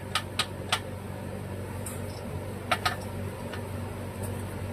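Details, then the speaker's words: Clinton model 410 small engine turned slowly by hand: has compression but gives a few sharp, hard internal knocks over a steady fan hum; crankshaft play slightly more than expected, cause unknown, engine not fired. "So, I guess we're going to take a peek inside this engine. I'm not going to try to fire it sounding like that. That sounds terrible."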